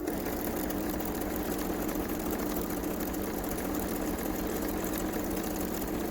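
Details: Kenmore 385-19550 sewing machine after maintenance service and speed control adjustment, earlier noisy with wrong patterns and uncontrollable speed: quiet, even hum with steady mid-pitched motor tone, no knocking or rubbing; normal running.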